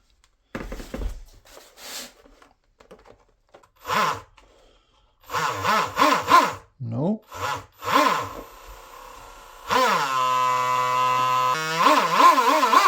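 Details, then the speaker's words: DIY Shrimp rigger RC boat driveline on the bench after replacing the Teflon liner, following a smoky run; throttle blips then a steady, even whine with no binding; runs free and without heat. "Okay, well, it sounds good now. It feels good. And it is not binding that much anymore because if I give a little bit throttle, it starts to spin already."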